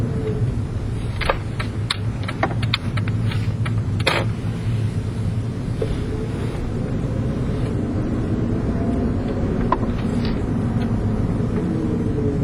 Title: prius clunk noise when accelerating